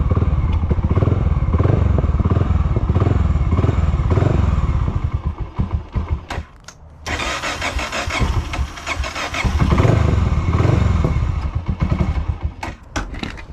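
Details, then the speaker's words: Honda GB500 single-cylinder motorcycle, started with choke on after failing with choke off, fires and thumps unevenly, fades, dies, then catches briefly again. It won't hold idle and keeps stalling; riding it hoping to fix it didn't help, cause not identified. "like it wants to stay started but it doesn't want to stay started its mind is very not made up on what it wants to do on idle right like it starts for a second turns off"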